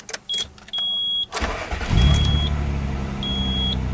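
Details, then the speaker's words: 1994 Nissan Maxima with 265,000 miles and an idle control problem, restarted: a few chime beeps, then a steady strong high idle with no knocks or misses, expected to drop as the engine warms; normal cold fast idle. "just a steady strong on and then as the engine warms up it will slowly tune itself down to a lower RPMs"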